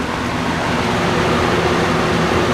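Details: Vintage 20-inch Robeson box fan, model 2306, 3-speed, lying on its side, running on medium: smooth, steady whoosh of air with no knocks, rattles or wavering; running normally.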